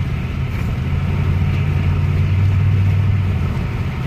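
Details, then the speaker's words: 2007 GXP with LS4 V8, driven at highway speed after a head bolt thread repair: steady even engine drone with road hum, transmission temp 145, heater blowing hot. No knocks, misses or surges; normal cruise running. "I mean, it's blowing hot heat. It's not acting up at all. It's running great."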